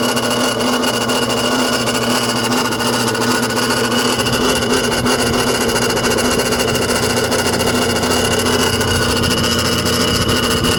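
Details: BMW N54 idling: rough, raspy grind over a faint irregular tick from the engine bay; owner suspects the AC compressor, unconfirmed.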